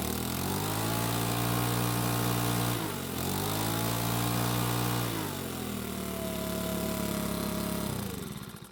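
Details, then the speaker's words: Makita four-stroke leaf blower that would not start, repaired after a carburetor part was lost. Runs steady and even, with speed dipping and recovering smoothly on throttle changes; a bit cold-natured, but runs well once at normal temperature. "so it seems to be a bit cold natured which is typical of small four-stroke engines but once it's at normal temperature it seems to work really well"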